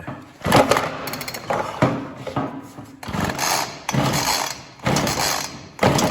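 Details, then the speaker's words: Ryobi RY3714 chainsaw, fuel lines previously replaced: engine catches in rough bursts that flare and die within a second, stalling when given throttle; owner suspects leaning out from lack of fuel or air. "it fires up but when you try to give it gas it just dies out and like it's leaning out and not getting enough fuel or enough air or something"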